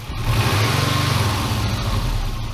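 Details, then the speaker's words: Rebuilt Subaru EJ251 flat-four refitted to a Forester, warm with the thermostat open, revving cleanly with good response. A raspy, puffing edge rises with revs, from an exhaust leaking in a few places. "the exhaust is obviously leaking in a few places but that's something I can address in the future"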